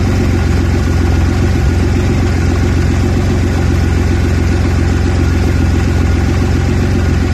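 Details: Audi A4 B7 3.2 V6 petrol at cold idle with a deep, uneven pulse instead of a smooth hum. This is a recurring rough idle that keeps coming back when cold.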